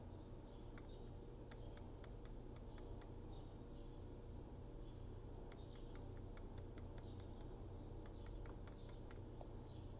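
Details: Dell XPS 13 7390 laptop: faint sharp clicks in short bursts over a low hum when the fans are tapped, from one loose fan rattling.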